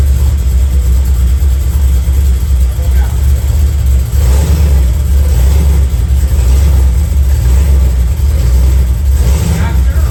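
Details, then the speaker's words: 1991 Camaro Z28, naturally aspirated 305 TPI V8 with FiTech fuel injection and 700R4 lacking reverse: heavy, uneven low rumble that won't rev past 2,000 rpm, running super rich; rough running, cause not yet found. "And the car just sounds like shit. It won't go past 2,000 RPMs. It's just running super rich."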